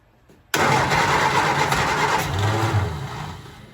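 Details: 1967 Triumph Spitfire Mk II after the faulty fuel pump was bypassed or replaced: a quick crank, then a clean catch into an even, steady idle, with fuel delivery restored. Normal engine start.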